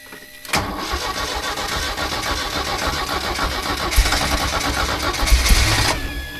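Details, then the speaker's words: Porsche 924 Turbo revived after sitting 24 years; engine catches and runs up, then revs keep climbing and hang high with no throttle instead of dropping to idle, some turbo whistle. Cause unknown. "It's definitely something funky going on, you know. Why is it not dropping back down and just giving me like responsive revs? I don't really know."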